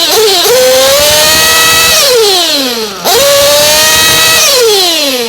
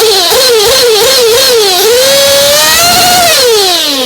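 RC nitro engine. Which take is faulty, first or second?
first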